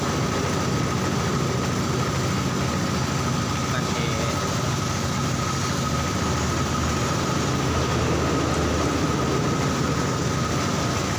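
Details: Old carburetted Honda Supra Fit, which had been dying suddenly while riding and starting hard, after a carburettor clean-out: an even, low-pitched putter holding a constant speed with no misses or stalls; idles steadily.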